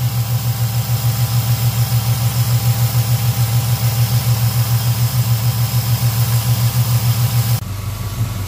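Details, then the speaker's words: Truck converted to TBI, next-morning start after fixing an unplugged MAP vacuum line and cleaning injectors: steady, even idle with a soft pulse of three to four beats a second; engine sounds healthy. "well she sounds good running good"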